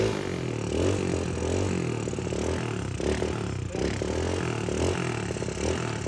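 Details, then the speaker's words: Yamaha Mio scooter (Mio Soul engine, Mio Smile body) with a PE26 carburetor: rough, uneven engine falters and bogs instead of climbing cleanly when the throttle is opened about halfway; carburetor slide sticking. "Nggak biasanya nih P26 rasa seperti ini, kok kayak berbet dan nggak optimal gitu saat tarik gas. Di situ ditarik setengah ke atas itu justru ngempos."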